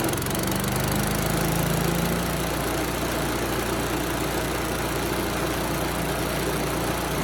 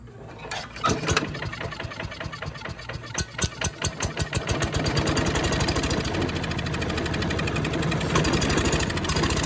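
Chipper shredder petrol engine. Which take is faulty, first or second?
second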